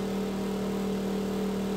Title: Noisy Exhaust Fan